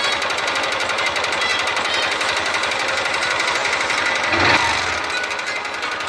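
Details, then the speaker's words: Honda Titan 150 motorcycle engine: fast, sharp metallic rattle hammering steadily over the engine noise, a slight knock from connecting rod play; rod knock. "Tá só assim a bielinha, velho. Só um estraladeirinho."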